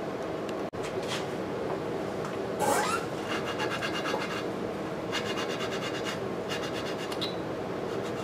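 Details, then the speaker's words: Lapping the exhaust valve on an antique Briggs & Stratton 5S engine (motorized scooter build) with coarse lapping compound: dry gritty rasping in short back-and-forth bursts as the compound bites evenly into the valve seat, cutting well. "Alright, that sound like it's cutting pretty good."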